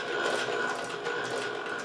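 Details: Varley Cyclops, an old Singer 12 clone sewing machine under restoration: a busy, even mechanical chatter of gears and linkages with no knocks or catches, louder than later machines; running freely and normally.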